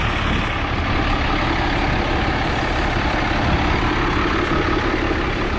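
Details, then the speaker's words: Ram 5500 6.7 Cummins diesel with rod knock, idling with a steady, even clatter and no knocking. "yeah this thing is running awesome"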